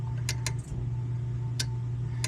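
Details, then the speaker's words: Lennox AC and furnace with an old EWC zone control board: steady low hum with scattered relay clicks, hum drops out and returns as the outdoor unit cuts on and off; heat-aged board connectors desoldering, contactor chattering, intermittent operation. "Um, yeah. I don't know if you can hear that, but our board here is not happy. Just touching some of that. Our outdoor unit kicked on and off right there."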